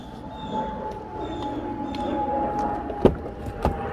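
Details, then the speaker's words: Ford truck hood rattle with the engine running and hood closed: two sharp metallic clunks as the hood shifts; loose bolts let the latch rise too high, and the fix is pushing the latch down and retightening. "the Striker's too high I mean the uh the latch is too high"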